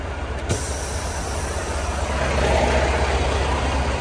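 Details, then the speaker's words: Heavy diesel truck at steady idle after a trailer air leak was fixed by tightening a loose fitting: no hiss from the air lines, so the brake air system is now sealed. "এই দেখেন noise বন্ধ হয়ে গেছে, দেখছেন? এটা tight ছিল না সেজন্য।"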